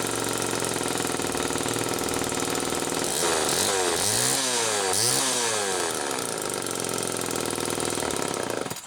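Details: 1974 Homelite XL-2 chainsaw with early HDC carb, test run after air leak repair: crisp two-stroke buzz climbing and falling cleanly through throttle blips, then settling; idle slightly off. Normal running.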